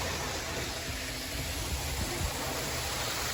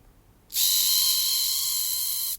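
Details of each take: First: Hornby R693 High Speed Train set from around 1990, HST running laps of the table: steady even whirr with rail rumble, no catching or surging; the little motor and bearings sound healthy, normal running. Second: Hornby R693 HST power car motor, circa 1990, just rebuilt: a sharp, steady high-pitched screech starts as soon as power is applied. Dry motor bearing squeal; fix is a little oil on the bearing behind the worm gear and the front shaft bearing.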